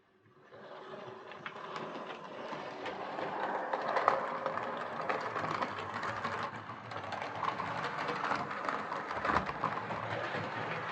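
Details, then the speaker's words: Hornby R2553 Princess Coronation Class "City of Bristol" model loco, before repair, hauling six coaches: irregular light clicking on curves plus scraping, suspected wiper pickups on tender; no traction issue seen. "clicking sound going around the curves um it's also making a bit of a scraping sound um I think that's the wiper pickups uh possible on the tender"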